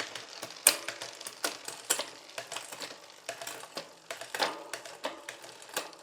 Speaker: okay so I've gone all the way up and all the way down the cassette while I'm in the Big Chain ring